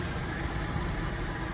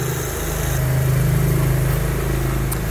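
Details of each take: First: Toyota Kijang Innova with AC on after compressor service, previously growling and found with no oil left: steady even idle hum, compressor now runs smoothly with no growl. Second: Toyota Kijang Innova at idle with the AC on, with a heavy, low pulsing compressor growl. The removed compressor had no oil left, and after the compressor was serviced it ran smoothly.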